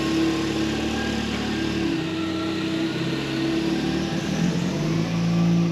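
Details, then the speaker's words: MK1 Ford Fiesta after a Zetec engine transplant, before the first test drive: runs smoothly and evenly, revving up and settling without misses or knocks, compared with the noisy engine before. "So if you remember how it sounded before, so this is how she sounded before. And this is what she sounds like now. Amazing."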